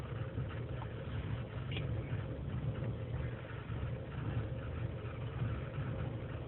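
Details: 2003 GMC Sierra Z71, 5.3L V8 non-flex fuel, cold start in single-digit temperatures, idling unassisted: low lumpy unsteady idle sagging in speed until warm; lean and misfire codes, owner suspects leaking intake gasket.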